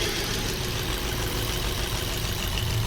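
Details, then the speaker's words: Maruti Swift BS6 with CNG and ABS light on: rough, lumpy misfiring idle with two ignition coil connectors unplugged so it runs on only two cylinders; coils were then replaced. "और यह दो cylinder चल रही है दोस्तों देखो ये दो सिलेंडर चल रही है दोस्तों"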